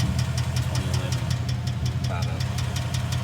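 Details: 2011 Mustang GT Coyote 5.0 V8 at idle: sharp, evenly spaced knocks about three per second over a low idle rumble, attributed to a bad rod bearing.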